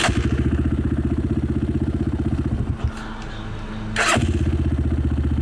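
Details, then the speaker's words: Cheap Amazon 250cc single-cylinder dirt bike after fitting an aftermarket carburetor fires straight up with a crisp pop, dips briefly, then picks up cleanly; starts and idles healthily. "But look how good this fires up."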